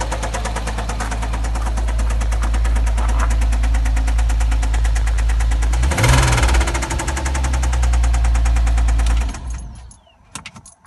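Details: 2007 Porsche Cayman at idle: steady regular tapping knock about three per second, even and persistent; owner unsure of the internal knock's cause, unconfirmed.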